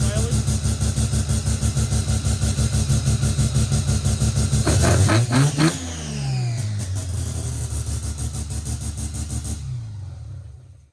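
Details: Naturally aspirated rotary (Wankel) engine in a small car: lumpy, choppy idle at about three beats a second, then a clean blip that winds up and settles back, normal running and revving.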